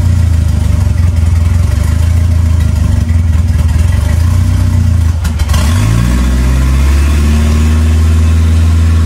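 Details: Smokey's Lima with a swapped 2.3L turbo four on PIMPX batch-fire engine management, warming up after first start to verify base timing matches the computer: revs cleanly, then settles to a smooth, even idle with no misses or knocks; normal running.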